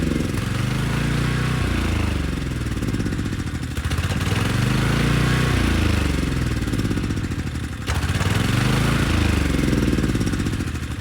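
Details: Briggs & Stratton Storm Responder generator after dirty carburetor cleaned and needle and seat tested: steady low engine drone, governor gently rising and falling, running evenly under a 3000-watt load with head making power; normal running.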